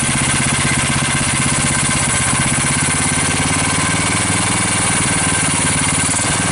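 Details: GX390 420cc single-cylinder engine after a carb swap with a new intake manifold, cleaned carb, new air filter and ATV thumb throttle: loud, steady thump holding an even speed, no misses or knocks, running healthy.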